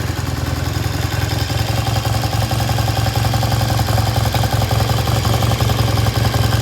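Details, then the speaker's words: 1973 Triumph T100 twin after restoration, kick-started: even steady twin-cylinder thump about 160 beats a minute, no knocks or misses; runs fine, idle left slightly high, can be turned down later. "that sounds good we're going to leave the idle just a little bit High it can be turned down"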